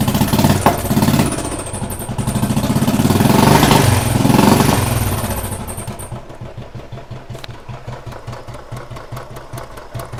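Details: Royal Enfield Thunderbird 350, 2009 single, after head work for oil starvation and sticking valves, plus new piston rings: revs, then drops to a steady beat near 200 a minute with no tappet clatter. Normal idle.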